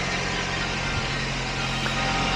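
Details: 2006 Suzuki Aerio four-cylinder idling after alternator replacement: steady, even low hum with no knocks or misses, charging at 14.25–14.3 V; healthy.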